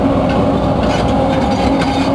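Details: Case CX210B excavator at full throttle after about 5–10 minutes of work: a loud steady whine over heavy machine noise, with power going weak and hot oil smelling. Main hydraulic pump suspected, not confirmed.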